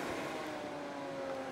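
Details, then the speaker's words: Expella EC inline exhaust fan at a high setting on a poor duct run, same power as a prior fan: steady airy rush with smooth even-pitched hum, no ticking or rubbing; about 65 L/s, running cleanly. "With this fan, it can work on very low settings and still be quite efficient. and quite quiet. But as you crank it up, it does get louder, but the flow gets more."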